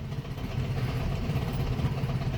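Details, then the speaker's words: 1967 VW Beetle air-cooled engine on first start after long storage, jump-pack powered, with a carburetor modified to delete the choke: a lumpy, uneven clattering idle with a hollow beat where one cylinder isn't firing. "Sure sounds like we don't have all the cylinders. Ain't good."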